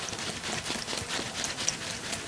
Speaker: if you can hear any sealant sosing around inside of the wheel then you're tubeless if you can't hear anything you probably have a tube in